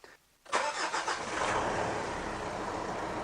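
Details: Mitsubishi Triton diesel brought in for a hard-starting/no-start complaint, battery tested good (93% health, 13.56 V): starter catches quickly and settles straight into a steady, even idle; normal start and idle.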